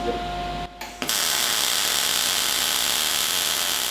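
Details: Cigweld Transmig 165ST MIG welder on thin plate at about 16 volts, wire speed adjusted to about right: after the strike the arc settles into a steady, even frying-bacon crackle; normal MIG welding arc.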